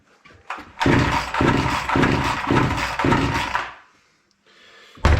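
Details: Proyard 450 two-stroke chainsaw that would not run, during carburetor mixture and idle screw adjustment: runs a few seconds with uneven surging beats, fades and dies, then fires again; won't hold a steady idle, idle setting suspected.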